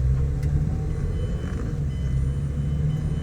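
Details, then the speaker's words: 2008 Mazda 6 4-cylinder after replacing the worn hydraulic passenger-side engine mount, heard from inside the car pulling away: smooth low rumble, no clunk or thump, vibration gone; normal pull-away. "you'll notice no noise okay so here we are in that's all that vibration as s-stop"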